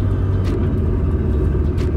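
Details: Nissan Skyline R32 GTR whose downpipe, held by two screws, has pulled apart. Loud, coarse low rumble with blowing roar far beyond a normal exhaust; exhaust leak at the separated downpipe.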